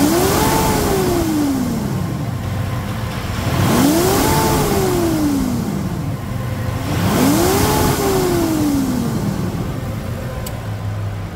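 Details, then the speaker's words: Mitsubishi Pajero Dakar V6 flex-fuel revved after a post-purchase service with timing belt replacement and cleaned TBI: three clean blips rising and falling smoothly with an even note and no knock or rattle; healthy revving. "E aqui está a usina de força V6 Mitsubishi. Vamos escutar essa melodia. Partida! Oh, máquina! Acelera!"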